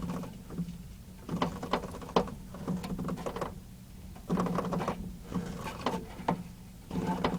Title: Creaking noise when turning